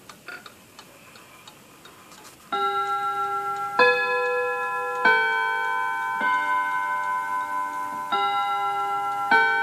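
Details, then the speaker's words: 1948 Seth Thomas tambour mantel clock, Westminster hour chime of 16 notes followed by the hour count on a different chime: clear ringing rod tones strike in a measured, even sequence with clean decay. Normal Westminster chime. "I love that Seth Thomas chime sounds like Big Ben doesn't"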